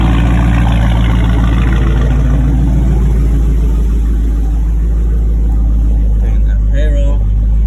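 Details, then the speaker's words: Dodge Charger with a 392 Scat Pack engine swap, at startup and idle after the install: a deep, steady V8 rumble with even firing, no rattles, ticks or odd noises, and a healthy exhaust. Normal idle. "No rattles. Hear that thing? Sound way better. No weird noises, no none of that shit."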